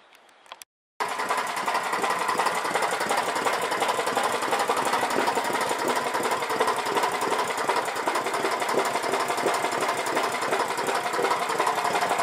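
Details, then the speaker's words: Old 4 HP Briggs & Stratton lawnmower engine after carburetor cleaning and reinstall (it had loped at full throttle, suspected plugged mid-circuit); fast, steady buzz with no misses, surging or knocks, running good now. "But anyway, running good now. Set for another 20 years."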